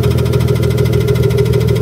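A steady idle with a fast, even light tapping riding over the low engine rumble; a ticking fault, source not pinned down.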